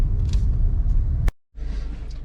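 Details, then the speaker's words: 2015 Toyota Corolla driving after front brake pad replacement that cured an earlier brake noise; low steady road rumble with no squeal or grinding from the front brakes: quiet, normal brakes. "if you remember if you heard the um sound from the brakes listen quiet as can be all right"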